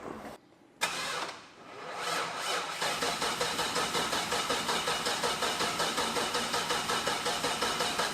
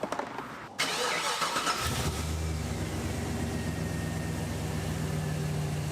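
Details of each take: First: 1985 Chevrolet crew cab dually sat 2 years out of fuel, temporary inline fuel pump wired in; starter grinds slowly and labouring for about eight seconds without firing; weak battery, booster packs used next. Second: 1985 Chevrolet Crew Cab Dually sat 2+ years, run out of fuel, now with a temporarily wired inline fuel pump: cranks a second or two, catches cleanly, settles to even steady idle without misses or knocks; normal start.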